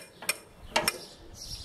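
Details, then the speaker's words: Old David Bradley walk-behind tractor: a few sharp light clicks about half a second apart from wheel ratchets, which replace a differential and let one wheel freewheel in turns; normal. "meant to drive those ratchets are on the wheels so when you make a corner one wheel has to flee turn there's no differential to him it's all done with the ratchet so she will freewheel"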